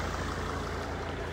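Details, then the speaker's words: Mercedes CLK 270 CDI coupe five-cylinder diesel at idle, heard from under the bonnet: even, steady diesel clatter with no misses, knocks or hunting; a smooth, healthy idle. "but this five cylinder when i get my hands under the bonnet pool really does sound lovely it probably just sounds like a lot of noise but that is absolutely lovely smooth as you like"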